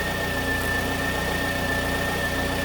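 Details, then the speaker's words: 2009 Pontiac Vibe at idle after the new alternator, charging at 13.5 V with normal 40–50 mV ripple: a steady, thin whine over an even idle as the alternator works hard to recover the low battery. Normal; codes are being cleared. "i'm going to clear the codes out of the pcm now but you can hear the alternator whining because it's working hard to recover this poor"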